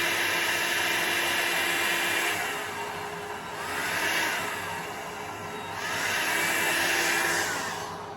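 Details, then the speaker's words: Revlon styling-brush hair dryer on the cool setting, slowed by a Foredom foot-pedal speed control held partly pressed: the fan sags and surges with a faint buzz and hum at reduced speed, which the owner thinks may harm the dryer. "which is probably not a good thing for my hair dryer, because I can hear it just buzzing a little and humming a little."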